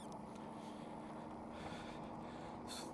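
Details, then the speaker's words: Aventon Wired Cruiser e-bike after 500 miles, riding in fifth to seventh gear after chain tightness adjustment: steady motor hum and road rush, chain noise now rarer though still occasionally jumps; quiet chain drive under way. "Now, I did make some adjustments to the chain, which if you don't if you listen now, you don't hear it making noise as often."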